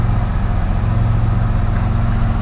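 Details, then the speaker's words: 1999 Chevy S10 after cleaning mass air flow sensor and throttle body: steady even low hum, no stumbles or misses, settled back down to about 900 rpm; normal idle. "there she comes back down to a good around 900 RPM idle. That's what we want."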